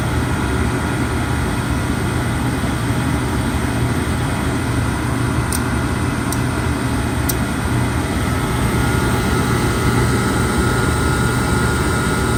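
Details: Oil furnace burner roaring with a few faint sharp clicks from the electrical box on its side; it starts fine but shuts off after a minute or two, inconsistently; cause not found.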